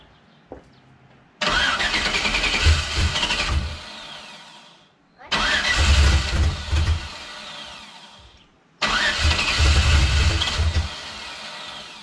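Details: Turbo LS Camaro, first startup on step one of a new tune for new injectors: three short cranking bursts catch and run rough for a couple of seconds, then die.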